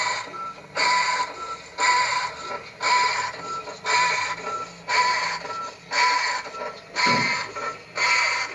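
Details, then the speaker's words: Washing machine (Consul, Electrolux or Brastemp type) agitating: a harsh rattling clatter in bursts about once a second with each agitation stroke. Worn, knife-sharp drive part suspected; if strong and constant, the motor bearing may be at fault. Washer noise during agitation. "o bagulho tá máquina está fazendo se a tua tá fazendo esse barulho você vai ter que fazer exatamente que eu vou mostrar aqui"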